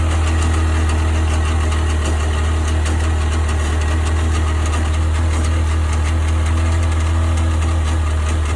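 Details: 1998 Sea-Doo GS 720 personal watercraft at idle: steady deep drone with a faint irregular knocking; owner asking what the strange noise is, cause unknown.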